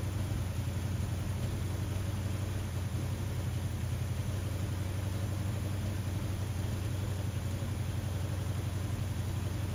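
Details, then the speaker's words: 1979 Ford F150 after a carburetor rebuild: deep V8 idle holding steady but a bit lumpy, still needing a tune. The owner suspects a misfire from coils not fully plugged on. Reseating the spark plug boots and setting float height later made a difference. "it's also weird it seems like I'm having a like ignition issue like a misfire I don't know if maybe one of these coils or couple of these coils aren't plugged fully on"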